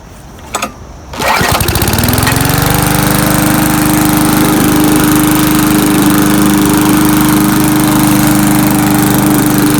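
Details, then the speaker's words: Murray mower after carb cleaner, fresh gas and a primer-bulb check, with the filter found okay: it catches after a couple of pulls and settles into a steady, even drone. Running normally again; bad gas was the cause. "all right beautiful so uh back to normal now it was just that bad gas it really took a while to get back running"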